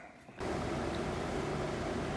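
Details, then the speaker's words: Trane XL18 18 SEER outdoor condenser, installed around 2001 and recently tripping the breaker, reassembled after service with the thermostat set so it should be in second stage. It clicks on, then runs with an even, steady hum and fan rush and no rattles or buzzing. Running very well. "all right it's running very well and uh got it all back together"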